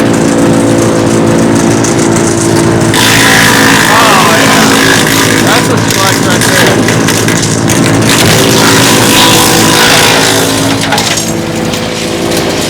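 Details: Mechmaxx DCH7 wood chipper with small engine, feed-claw springs tightened to max: engine pulls steady as branches feed through, rough chewing crackle over hum, speed holds without bogging; healthy under load.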